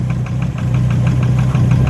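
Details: Volvo engine idling while being warmed up: sharp, even ticking knock about six or seven per second over a steady idle. The owner is unsure whether the gauge shows real low oil pressure; oil and water pumps to be changed. Cause unconfirmed.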